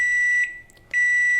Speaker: it does that when it's finished